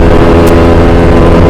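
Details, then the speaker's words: Karisma 125 with a swapped Yamaha R15 V3 engine, rough again after months of daily use: steady low drone with rough, uneven idle; worn rocker arm bearing in the top end, fixed without opening the block. "motor ini adalah suara mesinnya kasar sebelum diganti motor ini suaranya kasar udah diganti mesinnya masih kasar lagi jadi suaranya bakal kayak gini"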